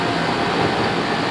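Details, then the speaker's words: Carrier Weathermaster condenser after replacing both fans and rewiring them from one shared capacitor to two separate capacitors: even, steady airy whir with smooth motor hum, no wobble, scrape or chatter; fans running normally. "she's running it's going pretty good now"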